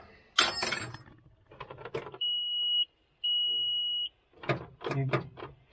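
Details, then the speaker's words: John Deere 310G backhoe: two long steady high-pitched warning beeps about a second each with a short gap, signalling service code F428, throttle sensor calibration. "What's that code? Let me see. What's that code on there? 428. F428. F428 is the code."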